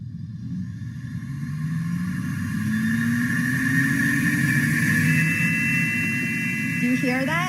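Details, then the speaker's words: Lab microcentrifuge spun with the plastic rotor lid left off. A loud, high whine climbs in pitch as the rotor spins up. The rotor lid is missing; stop the centrifuge at once and fit the lid. "and you want it to close tightly because if you don't and you spin it there's going to be a really high-pitched sound during centrifugation"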